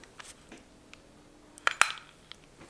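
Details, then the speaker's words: Vintage Abumatic spincast fishing reel, crank turned after the button press: a couple of crisp clicks as the retrieval pin re-engages and comes back out, so the line can be reeled in, normal. "That was the retrieval pin re-engaging, coming out, telling you that you're going to be able to reel that line in."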